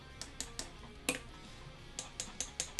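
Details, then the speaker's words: Guitar neck pickup after fixing a switch whose contact grounded it out; rewired as full humbuckers with no coil split: crisp, even taps through the amp about five a second with no dropouts; working consistently. "So I think I solved it. It sounds like it's working now."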